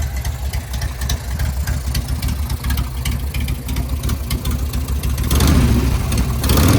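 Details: Home-built Harley Sportster chopper, cold on choke: an uneven, loping V-twin beat settles into a steady idle with no knocks or clatter. The owner says it idles fine with no weird noises beyond the normal breather-bolt sound.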